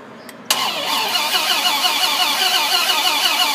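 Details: 2006 Dodge Ram SRT-10: fast, even starter whir with uneven chuffing about three times a second, never catching; cranks but won't start.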